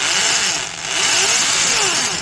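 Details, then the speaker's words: Milwaukee 0224 3/8-inch Magnum corded drill, heavily used, with undersized worn gears: loud, harsh high-pitched grinding over the motor whine that waxes and wanes with speed; reverse sounds better since that side of the teeth is less worn. "It sounds better in reverse because that's the reverse direction, and so that side of the gears hasn't had the kind of wear that the normal"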